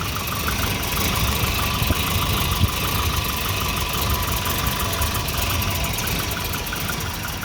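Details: Volvo 240 idle uneven and lumpy with irregular stumbles under a ticking top end; multimeter on the O2 sensor read erratically once exhaust reached temperature, and a new exhaust oxygen sensor fixed the rough idle.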